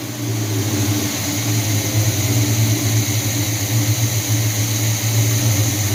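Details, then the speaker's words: 1978 Chevy C10 350 V8 after a new Edelbrock intake, carb bowls just filled, a little smoke; steady even idle with a firm low exhaust note, no stumble. Owner thinks the old intake leaked and caused the former misfire. Normal idle. "Oh yeah, sounds a lot better. Took care of that mist that it had. Used to have a misfire. I guess that intake was leaking before."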